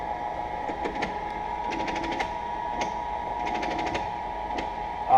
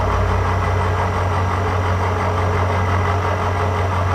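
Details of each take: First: Cincinnati 205 milling machine, table moving on the x-axis power feed: steady motor hum broken by rapid click clusters every second or so; the feed stutters, stops and restarts as if a gear slips; dry feed needing lubrication. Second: Cincinnati 205 milling machine, spindle showing about 40 rpm, light cut with power feed after fixing hesitating feeds: steady even low hum, smooth drone, no knocks or grinding, feed running cleanly.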